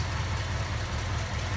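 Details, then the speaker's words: 1965 Ford Custom warming up at idle after gasket repair with silicone only on bad areas: deep loping idle with faint fast ticking, exhaust manifold leak still present. "so i'm going to let this run and warm up i think my exhaust leak is still there i can still hear it"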